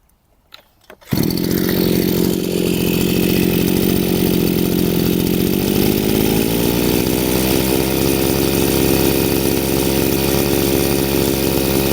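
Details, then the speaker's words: Chinese two-stroke brushcutter after carburetor adjustment with the flat-screwdriver mixture screw: starts and runs smooth and even, revs rise slightly and stabilize with no hunting or stumbling; normal running, adjustment complete. "Now we set the revs to the right place and twist the ribs to a good one. The revs have risen a little and stabilized. Everything is perfect, show work."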